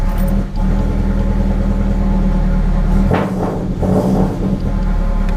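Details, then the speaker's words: FR-S with unequal-length aftermarket header, after the header was resealed with copper gasket maker: deep, even exhaust rumble at idle and smooth revs, no ticking or puffing; leak fixed. "so as you can hear the exhaust leak is fixed"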